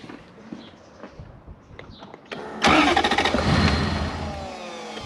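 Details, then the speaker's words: BJ40 Land Cruiser with 1UZ V8 swap and manual gearbox cranking without starting: steady starter churn about three or four beats a second that never catches; spark intermittent, sometimes trying to fire, previously totally dead. "okay it's quite intermittent in the spark but it sometimes has some because you can hear it trying to fire up which before we brought it here it was totally dead"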